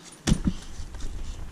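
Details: Honda EG Civic K-swap starting after installing a Walbro 255 in-tank fuel pump, fuel pressure holding at about 50: short crank, a couple of firm catches, then a steady low idle; clean, healthy start.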